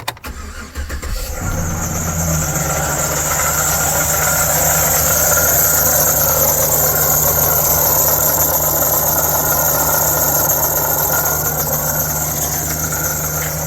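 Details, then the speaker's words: 2008 Chevy Silverado LT, 5.3L Vortec: cranks and catches, then a fast steady knocking at idle with a high whine above; water pump shaft has side-to-side and up-and-down play, worn water pump bearing, pump to be replaced. "So let's go in and start it up, and then I'm gonna shut it off real quick because it's a bad knocking noise."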